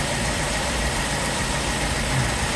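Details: BMW with cold-start problems after removing and cleaning the VANOS camshaft actuators: steady, even idle with a smooth low rumble and no ticking or misses; no fault codes except the unplugged oil pressure sensor.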